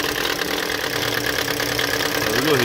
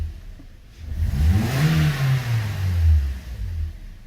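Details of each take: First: 2013 Toyota Corolla 1.8 16v flex with CNG and an automatic, idling with the AC switched on: a harsh, rattling vibration whir from the accessory belt, which stops when accelerating. Seized alternator overrunning pulley. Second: 2013 Toyota Corolla 1.8 16V flex with CNG, after refitting the alternator with a new pulley: engine revs up and settles smoothly with no belt squeal or chirp, fixing the complaint of noise when accelerating.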